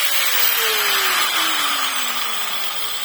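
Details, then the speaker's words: EDON AG125/900 angle grinder, returned for overheating and strange noise, coasting down after switch-off at service diagnosis: whine falls smoothly, no rattle or scraping; nothing abnormal, tool found serviceable. "И опять же, ничего постороннего. Оборудование исправно."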